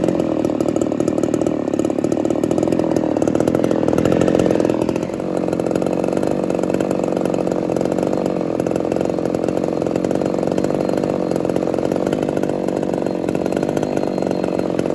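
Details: Ported Homelite Super XL-130 chainsaw, final test run after fixing a loose idle screw that was turning by itself and readjusting the carb: even, steady two-stroke buzz holding one speed with no surging or stumbling; running cleanly.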